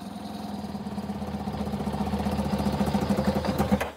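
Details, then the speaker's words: Kawasaki ZZR600 started with choke on near dusk: uneven, lumpy firing that picks up then falters and cuts out within four seconds; engine stumbling and stalling, cause not confirmed. "So, we've got it idling, but I think it's missing. It sounds like it's misfiring ever so slightly."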